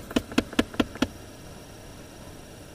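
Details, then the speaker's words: 2008 Dodge Avenger, A/C on, recirculation switched to closed: five sharp, evenly spaced ticks about five a second, then silence; faulty air recirculation/blend door actuator motor clicking behind the dash, fix is replacing the actuator. "So it close. And that's when the ticking starts."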